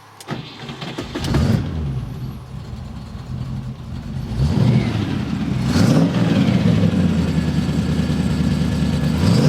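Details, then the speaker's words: MGB GT with electronic ignition, cold start after replacing the failed rotor arm with the original Lucas rotor: catches on first crank, settles into even, steady idle with a brief blip, no misfire; fixed and healthy. "I think this sounds pretty good. And that's even a cold start."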